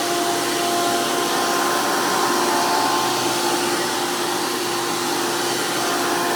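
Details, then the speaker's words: 2002 Hoover PowerMax II U5246-940 upright vacuum with 12 amp Elite motor, after motor work: loud, steady high-speed whine with strong fan rush from a 20-blade impeller, unwavering, plenty of airflow; normal healthy motor run. "And since this one has the 12 amp motor, even though they are known to be the most powerful, they are also known to be the most noisiest of the Elite motors."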